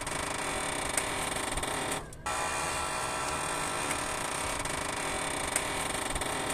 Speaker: en algunos carros la rótula se daña de manera rígida y se pone muy dura que al momento de girar el volante necesitas mucha fuerza y al girarlo se puede escuchar un ruido Como